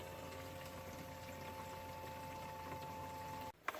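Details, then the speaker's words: 1997 Ford Mustang fuel pump run directly off jumper wires while draining four-year-old yellowed fuel from a long-sitting tank: steady, even electric whine holding one pitch, then cut off; pump sounds good. "okay here's an example with fuel for your old fuel looks like another yellow but pump sounds good"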